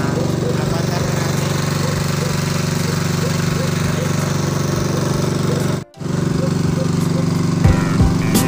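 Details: Small generator brought in because it won't start or keep running, tested outdoors after an oil change because it smokes: steady, even engine drone with a constant rhythm, no misses or knocks, briefly cut once; running normally.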